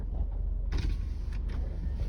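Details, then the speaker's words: Mitsubishi Pajero final check after service, oil change and diesel filter replacement: power windows front right auto up and down, front left, rear left and rear right all fine, with a short smooth low motor hum and light creak, no grinding. Normal power window operation. "Terus untuk power window depan kanan naik otomatis, turun otomatis. Depan kiri aman, belakang kiri, belakang kanan"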